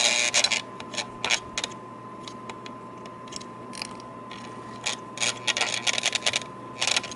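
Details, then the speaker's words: Whistle motor in 1949 Lionel 2026's tender at 14 volts, actuated by hand, drawing a couple amps before teardown: thin steady hum broken by irregular scratchy clicking bursts; weak, sluggish running. "Yeah, getting a little action. Yeah, we're at 14 volts here, so let's try a little more."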